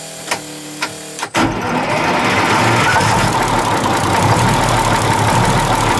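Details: 1943 Higgins Boat landing craft Detroit 6-71 diesel, first start after 30 years with rebuilt valves and injectors, booster pump on and throttle cracked: a few cranking clicks, then it fires within a second into a steady, even diesel clatter, starting healthy.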